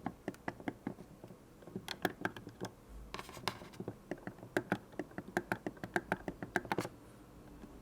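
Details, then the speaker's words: Counterfeit Berry Blue PS4 controller: the touchpad and thumbstick clicks are sharper and louder than the damped clicks of genuine controllers. Some clicks in the clip are crisp and sharp, others softer and muffled. "another thing noticeable is the clicking sound of the touchpad and time Sticks the sound of the real controller is a bit damped while the fake one makes more of a clicking sound"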